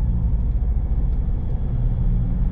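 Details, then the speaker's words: Inside the car at about 40–50 km/h with a wheelbarrow strapped on the roof, the straps now given a twist: only a low, steady road and engine rumble, with no flapping or humming from the straps. "50 mark and absolutely no noise whatsoever it's whisper quiet and i can't even tell that i've got a wheelbarrow on top"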